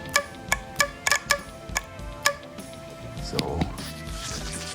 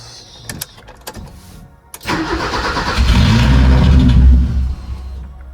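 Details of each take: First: BMW E30 with M10 engine: sharp, crisp clicks as a fuel valve is energized by hand with wires, so the idle control valve opens and closes and is not stuck; working. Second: BMW E30 with M10 engine, after reconnecting the cold start valve and priming fuel: engine catches with a short burst of revs then dies within a couple of seconds; previously it idled minutes then would only crank.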